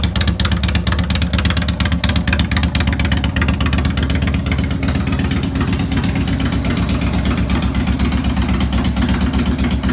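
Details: 2002 Harley-Davidson Road King Classic on a bike table, started briefly after replacing cam chain tensioners, lifters, O-rings and gaskets: steady, even V-twin lope at idle, roughly three firing pulses a second, no ticking or knocking; sounds healthy.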